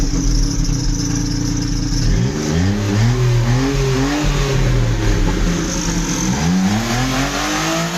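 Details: Daewoo Matiz petrol engine after welding repair of the muffler and exhaust pipe: steady idle, then quick blips rising and falling cleanly with a contained, even note, no rasp or leak; normal exhaust sound after repair.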